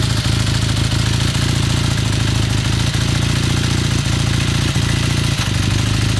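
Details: 1981 Kawasaki KZ440 twin idling cold during warm-up: steady low beat with a loose, uneven knock ticking through it; engine knocking during warm-up, origin unknown.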